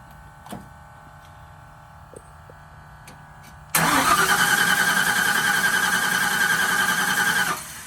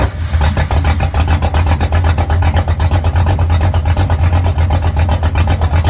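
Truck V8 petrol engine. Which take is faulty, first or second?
first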